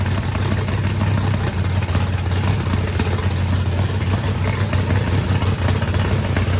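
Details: Freshly built turbocharged 409ci small block Chevy V8, added compression, first start: deep lumpy rumble steady and strong under light revs, no knocks or rattles; normal revving.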